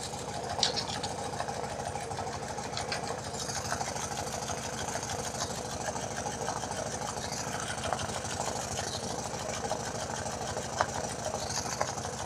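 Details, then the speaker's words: BMW R90/6 Airhead flat-twin idling after a top-end reseal in which one valve and valve guide were replaced, with oil spilling out: a fast, faint, even tick, louder on one side. Top-end ticking, source not yet found. "some guys have told me that it's really not that bad but I hear the difference between this side and the other side"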